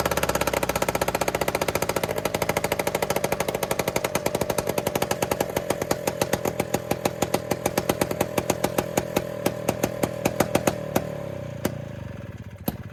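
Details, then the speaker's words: Two-stroke Rockwell engine in an Attex 6x6, first run after new lightning coil and points adjustment, oil dumped down cylinder: loud ragged popping that slows and fades, with tapping as the loose engine rocks and hits the transmission on broken rear motor mounts. "We need to ratchet strap that motor back or something. Yeah. That carbon was tapped the trans. Oh, it's hitting. It's just hoping. The back motor mounts are broken."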